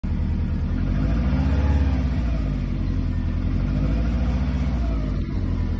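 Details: Subaru EJ205 at idle: heavy low rumble with a steady beat, a deep knock from inside the engine; owner suspects piston slap or damaged crankshaft bearings, not confirmed.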